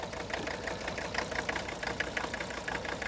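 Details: 1981 Mercedes-Benz 300 SD, OM617 5-cylinder fully mechanical turbo diesel, low mileage, revived after sitting 5-10 years: light, even idle clatter about two ticks a second over a soft low rumble; ordinary injector noise, normal diesel rattle.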